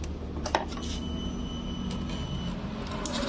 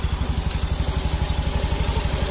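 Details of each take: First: 2019 Honda Beat Street scooter with smoky exhaust and constant oil loss: fast, light tick about four a second rising with revs; top-end noise, which softened when the cam chain tensioner was turned, pointing to the tensioner. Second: 2019 Honda Beat Street with smoking and oil loss: soft, even idle with steady low putts about ten a second, no ticking or rattle on top; healthy and quiet.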